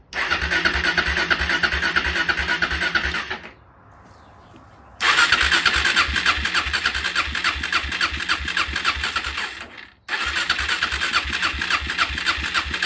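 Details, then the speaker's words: Suzuki LTZ 400 ATV (believed 2004), sat five years, after idle adjustment, air filter and airbox not yet fitted: the small single runs at a steady, even idle with regular exhaust pulses and no stumbling. Normal idle. "my adjusted Idol is idling good now I just need to put on an air filter and the airbox"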